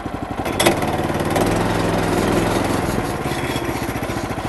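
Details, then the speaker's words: Woodland Mills HM126 sawmill, 9.5 hp Kohler engine: throttle raised from putting idle to a higher even drone as the centrifugal clutch engages and starts the blade, then eases back; running smooth, normal. "This is our throttle, and with this, it's got a centrifugal clutch. It's going to start the blade."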